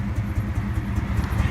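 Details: SN95 Mustang started cold in sub-freezing weather: deep, choppy engine rumble with puffing, uneven exhaust beat from an exhaust leak where the O2 sensor fell out, making it run poorly.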